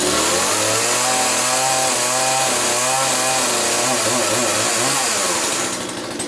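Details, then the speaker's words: Poulan Pro 4218A two-stroke chainsaw, cold start after four months of storage: it fires in about two pulls and holds a crisp, even, high buzz with no stumbling or misfire; it runs healthy. "now that was two two pulls i think and like i said this thing haven't been started for four months"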